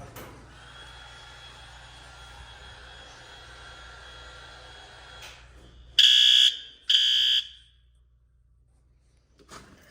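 Two loud, shrill horn blasts a second apart, then silence once the panel is reset: the alarm sounds normally after the pull.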